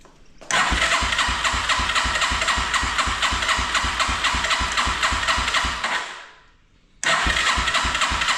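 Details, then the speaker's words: 1987 Yamaha TW200 no-start, contact cleaner sprayed into the intake with choke on: steady cranking near four beats a second that tries to fire but never catches; may not be a fuel issue. "Did you hear it try to fire there?"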